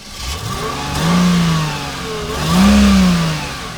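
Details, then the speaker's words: 1999 Mercedes, mic next to the engine: petrol engine revs up twice under throttle and settles back, smooth even rise and fall with no knocks; runs fine. "I'm going to put this mic next to this motor so you can hear this thing purr."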